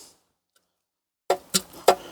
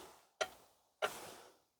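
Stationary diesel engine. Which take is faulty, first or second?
first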